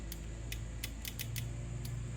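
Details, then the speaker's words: 1986 Jaguar XJS V12, power windows and lower fan dead; old relay found faulty, new relay bench-powered: sharp, crisp clicks over a low bench hum as it snaps in cleanly; normal relay click. "I got it connected up to the power of course it's going to work cuz it's new these things are not expensive I bought box of 10 to do um I need three hands here obviously well I'm going to plug it in you can hear it"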